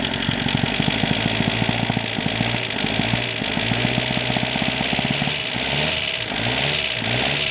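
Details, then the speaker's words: Chrysler Galant 1600 wagon, first run after sitting 30 years, with noticeable blowby: old four-cylinder idling rough with a steady fast tapping knock like an old diesel; unsure whether loose tappets or a bottom-end knock. "She got a bit of a rattle. I don't know if it's a loose tap it or a knock."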